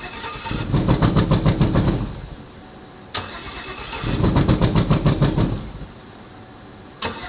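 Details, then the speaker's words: 2006 GMC Envoy Denali bought at auction, first start attempt with some wires unhooked: two bursts of steady cranking about 3.5 turns per second, never catches; crank no start, owner describes it misfiring then shutting off, camshaft suspected. "it's funny how it's cranking up it's misfiring and then it shuts off"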